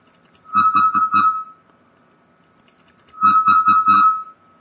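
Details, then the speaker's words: Linrad 05.00 software, audio generator into sound card, keying: two groups of four keyed tone beeps, each carrying a low rough hum at higher volume; artifact from IIR resampling filter lacking double-precision floats. "but now i turn up the volume here and you can hear there is this humming sound"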